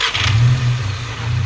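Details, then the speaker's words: VW Scirocco with a rebuilt MK6 Golf engine, restarted with oil possibly needing topping up: short start settling into a smooth, even low hum with no knocks or misses; running healthy. "Nice. Lovely. Alright. It's good. It's running like this with this fuel inside. It's a miracle."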